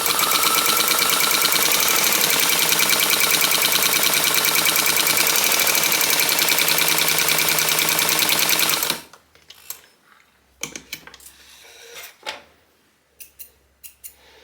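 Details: 1923 Singer 99k restored sewing machine sewing cotton flannel after its stitch length was newly freed and lengthened. Quick, even mechanical chatter at about three stitches a second for nine seconds, then it stops; a smooth, healthy run with even stitches and good tension.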